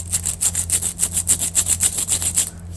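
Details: Old offside front wheel bearing from a Ford Fiesta XR2, spun by hand before replacement: a gritty rasping roughness pulsing about four times a second then fading, a worn wheel bearing; the new bearing is silent.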